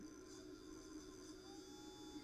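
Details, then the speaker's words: Known-good spare spindle motor from a Bose 3-disc CD changer, powered directly at its terminals as a reference: faint, smooth, steady whir with a thin high tone and no scraping; normal spindle motor running. "I'll show you what it should sound like on a good working one but underneath the camera here you should hear the motor spin"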